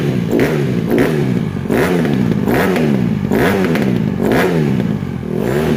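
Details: 2007 Honda CRF150RB dirt bike reassembled after buying as a basket case, with water found in it and new stator ordered; crisp throttle blips about once a second, rising and falling cleanly with no misfire or knock; normal revving.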